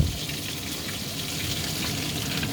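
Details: DIY bakki shower pond filter of three 51-litre boxes on 1.5-inch pipe, running with no media in the top trays yet: constant hissing, splashing rush of falling water; running noisy because there's no media in there.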